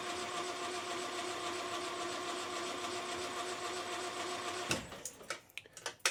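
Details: 1968 Land Rover Series 2A 2.25 L, unstarted for about 30 years, cranking with spark plugs removed: smooth, even whirring as the starter spins the engine freely with no compression load, then stops with a few clunks; normal.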